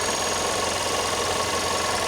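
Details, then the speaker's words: 2014 Audi A1 1.4 TFSI after gearbox and clutch replacement, clutch pressed: steady, even hum with no knocks or rubbing; earlier noise was a bent bracket under the gearbox rubbing the clutch, bent clear; normal idle. "It works nice and smooth. There is no noise from from the engine as you can hear it."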